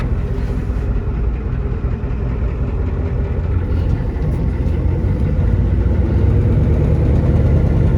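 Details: 1994 Ford F-250 7.3 IDI diesel, revived after sitting for years, on test drive: loud rough run with coarse ticking puff riding exhaust pulses; leaking exhaust manifold, temps normal, about 35 psi oil pressure.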